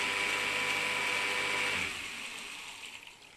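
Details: Steady high electric whine from a Salamander water pump motor, rewired to capacitor start, that winds down after about two seconds; it runs normally, and the owner suspects a pressure sensor stops it with no water.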